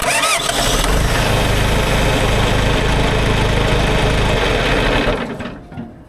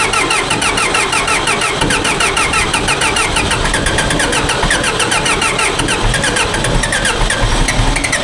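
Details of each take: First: John Deere 410 backhoe diesel with newly installed replacement starter: quick even cranking nearly four turns a second, no drag; starter spinning engine strongly. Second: Old John Deere 410 backhoe diesel, new starter and fuel filter fitted, cold start at about 34°F after a 26°F night: harsh rapid rattling chug, loud and steady, through a slow reluctant start that eventually catches.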